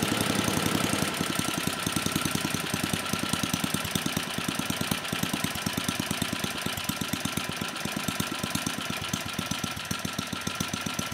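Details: 34-year-old Tecumseh H30-35387Y on a Troy-Bilt Tuffy tiller, after a no-compression repair; crisp regular exhaust beat, steady spacing, slightly rough while the new clone carb's mixture is set; compression good, runs fine.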